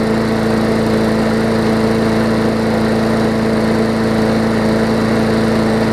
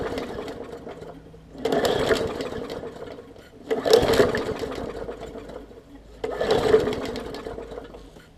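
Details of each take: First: 2014 Bolens push mower with Briggs OHV engine after fitting correct spark plug and replacing missing carburettor jet ball plug; constant steady buzz at one pitch, no surging, stumbling or rattles; normal smooth running. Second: 2014 Bolens push mower, Briggs OHV engine, leaky carb needle and seat, fuel line clamped: short sputtering bursts catching a second or two then dying after pulls; heavily flooded, running rich, purging fuel.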